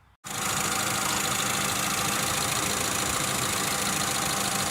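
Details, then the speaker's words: 1992 Geo Tracker, hot engine after thermostat replacement with broken rusted housing bolts repaired and anti-seize applied; steady, even warm idle with smooth hiss, no misses or ticks, and the cooling system is holding pressure. "well okay everybody as you can hear my dirty little motor is running as you can see pretty hot"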